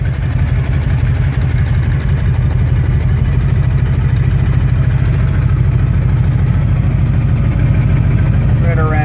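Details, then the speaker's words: 2005 Honda VTX with Cobra slip-ons, carb and air intake upgrade (DJ200 main jet, needle slot 4, air-fuel about 2.25 turns), fully warm: even V-twin idle just under 1,000 rpm, no stumbling; normal idle. "all you do is give a listen make sure she's not stumbling too bad if you can hear that or not sounding pretty solid"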